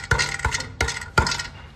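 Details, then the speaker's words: 2016 Kia Soul with P0420, P2187, P2192 and no power, on a lift, manifold catalytic converter tapped: each tap followed by loose metallic clinking inside the shell; broken converter internals clogging the exhaust, replacement needed. "That means the pieces of platinum inside the converter broke and are clogging up the exhaust. So the catalytic converter needs to be replaced."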